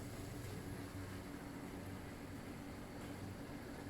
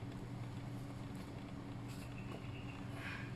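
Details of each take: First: Properly working Intex Krystal Clear filter pump, same setup as defective one: quiet steady low hum with even impeller whirr, no rattles or surging; normal running with bubbles at outflow. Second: New Intex Krystal Clear filter pump, properly installed, running with motor on: steady low hum with rough buzzy vibration, no strong water rush; defective, no or very weak outflow despite motor running.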